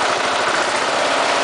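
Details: Briggs & Stratton single-cylinder engine fitted with an oxygen sensor: even, steady idle putter with no misses when on a rich mixture; a lean mixture makes it pause and miss.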